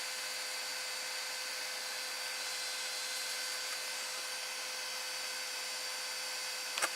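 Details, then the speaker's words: 3D printer's 24V-to-12V buck converter, cooled by an AMD CPU heatsink fan: a steady, loud, high-pitched whirring hiss from that CPU fan, the noise source, which is to be swapped for an 80 mm Silent 8 fan. "so basically the problem now is the noise so I'm going to plug this in and you can hear the it's a CPU fan under here that is making the noise"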